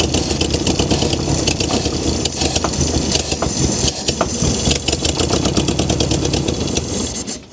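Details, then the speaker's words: 1971 VW Beetle barn find on first start after long storage, choke closed, starter fluid used; ragged cranking bursts that catch and sputter unevenly before dying; hard starting after long storage. "With this car sitting for a long time, it's going to be really hard to start it for the very first time."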